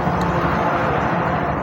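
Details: Bajaj BS6 motorcycle after repair: a single cut main-line wire from the fuse had stopped self start, kick start, fuel pump and ignition; wire rejoined and relays tested. Engine now catches and settles into a loud, steady idle with an even beat and no misses.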